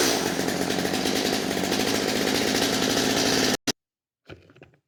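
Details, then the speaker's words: Stihl MS250 after carburetor and fuel line replacement, held at wide open throttle: a slightly burbly, four-stroking edge instead of a clean scream, then cut off. The high-speed mixture is rich and the high screw needs closing a little. "right it's running a little fat on the high side so you're going to close that up a little bit"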